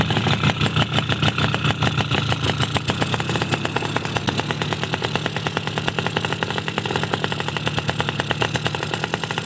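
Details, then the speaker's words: Force two-stroke motorcycle during carburettor setting, smaller jet already fitted: fast, uneven burbling pops with no clean crisp firing; still running too rich, mechanic says the membrane is open. "masih keboros sen Wan padahal sudahah diganti kecil ya Wan"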